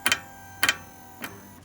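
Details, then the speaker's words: Ferrari 360 F1 gearbox stuck in neutral, no forward or reverse gears, recorded under the car: three fading metallic double clicks as the gear actuator tries to shift, F1 pump audible, but no gear engages. "So it sounds like, and it feels like, if I put my finger on it, it's trying to do something, but it is just not selecting any gears."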